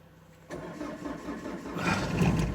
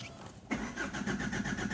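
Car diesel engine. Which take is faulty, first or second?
second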